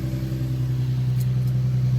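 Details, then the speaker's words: 2009 Infiniti G37 first started after replacing the serpentine belt, tensioner pulley and three idler pulleys: a smooth, steady low idle drone with no chirp, squeal or bearing whine from the belt drive. Healthy idle. "it for one second like a [ __ ] dream yeah that sounds really good"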